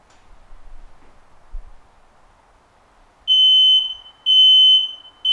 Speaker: an activated smoke alarm will make three consecutive beeps a pause then three more consecutive beeps repeating this pattern